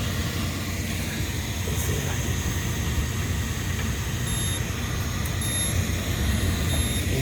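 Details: Rheem package unit (no-heat call, thrown belt), 480 V, after belt reinstalled: even low blower rumble, no thumping or belt slap, a few faint high beeps; much smoother, slight housing vibration.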